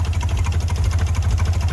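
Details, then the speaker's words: Ford Bronco II, sat for 5 years, first start after priming with a dump of gas and a little throttle: low lumpy idle with uneven pulse and occasional stumbles, running rough, little smoke; cause not confirmed. "is some very old I mean as you can see she's not running very smooth"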